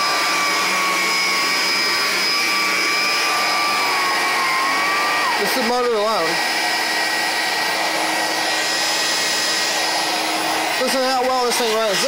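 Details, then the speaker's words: 33-year-old Electrolux Discovery 3 (1572E) upright vacuum, motor alone without brush roll: steady even high whine with smooth air rush, pitch dipping briefly as airflow changes; normal healthy motor running. "As you can hear, this is just the motor alone. No brush roll. Still sounds pretty good, guys."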